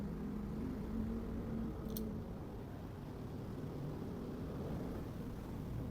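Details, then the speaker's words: Electric fan with noise from the back, after replacing the worm gear (gearbox kept) and oiling: smooth even low whir, no clicking or grinding from gearbox; normal running after repair. "So 'di ba success? Wala siyang tunog dahil sa pinalitan natin itong warn gear."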